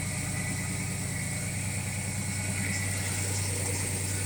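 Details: 1968 Pontiac LeMans freshly rebuilt engine during break-in warm-up, rpm raised, good oil pressure, charging, water temp just under 200°F; smooth, even fast idle with regular low pulse; healthy.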